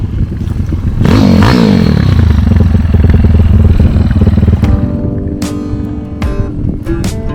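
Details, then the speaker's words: Honda CT70 K0 with a swapped-in 212cc single, pulling hard in second gear and lifting the front wheel. Pitch climbs, then holds a deep, even thump under load, with music over it. It sounds healthy. "yeah he got he got the front wheel off the ground second gear woo sounds like a [Music] hog"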